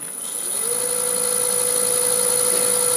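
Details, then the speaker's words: Laguna 1836 VFD wood lathe after tightening the motor bolt and lift lever and seating the belt in its grooves: it spins up to a smooth, even hum with no belt squeak. "Alright, I don't hear any squeaks, and that's just what we wanted."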